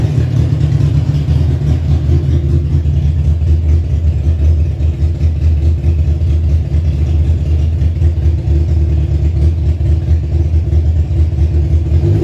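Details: Kawasaki ZZR 1100 engine swapped into a Fiat Panda 750 Fire, during engine tests: deep, even drone held steady for twelve seconds without misses, knocks or rattles. Smooth, healthy running.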